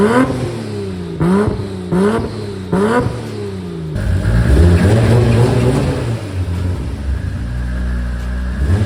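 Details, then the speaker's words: Big-turbo Supra on ECU Master Black Series, drive-by-wire, custom true 4-inch exhaust, first start-up: quick revs climbing and falling, faint turbo whistle following throttle under exhaust rumble, heard at the tailpipe and up front; normal turbo spooling. "so as you can hear the exhaust sounds so good that exhaust that I fabbed up there the true 4 in all the way back you can hear a little bit of the whistle of the turbo at the back of the exhaust the front as you can hear the turbo singing it just sounds so good"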